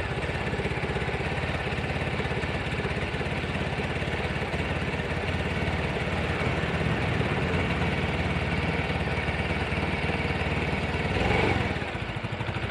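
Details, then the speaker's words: Scooter after engine rebuild, TPS reading 14 instead of 17: steady, slow, slightly lumpy putter with no throttle changes; idle too low from the low TPS setting, injector audible. "Oke ini TPS nya terlalu rendah teman-teman 14 soalnya jadi stasionernya terlalu rendah juga"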